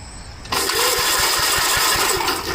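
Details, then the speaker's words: Gravely garden tractor starter, owner earlier found it straining and suspected a weak battery: starter whirs up sharply and turns the engine at an even five or so strokes a second without dragging; cranking normally. "It's funny. This starter seems fine. Maybe add a weak battery."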